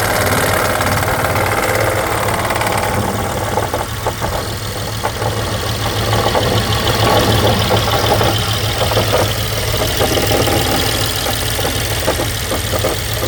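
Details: 2012 BMW X5 N63 V8 at idle: loud uneven knocking rattle about three per second over the rumble; suspected timing chain, source unconfirmed; eventually fixed by a new engine.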